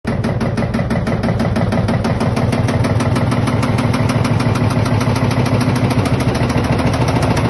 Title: LG Washing Machine Rattling Noise